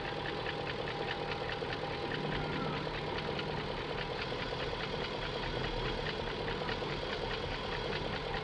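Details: 2001 BMW E38 740i at smooth idle with valve cover off: quick, light metallic ticks loudest at the top end persisting after VANOS rebuild and parts replacement; no codes, cause not yet known.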